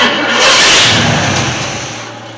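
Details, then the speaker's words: 1979 Chevy C10 small-block V8 left sitting 10+ years, fuel poured down carburetor: cranks and briefly catches with a rising rush that fades evenly; no rod knock from the bottom end. "I know it's gonna start, and I didn't hear any rods trying to get out of the oil pan, so see if we can get it to run for another second."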